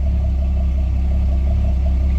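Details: Port Mercury 225 V6 outboard on a Saxdor 320, running after a not-charging/low-voltage fault traced to the voltage switching relay, now charging at 12.6 V; deep, smooth, even idle rumble with no knocks or misses, normal idle.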